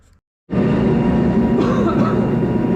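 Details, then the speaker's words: Old salamander heater after a screw was added to secure loose tin housing that caused vibration and noise: steady even burner roar with no rattle or buzz; normal running after the fix. "all right so I did put a screw in that and that did fix that problem so that's awesome"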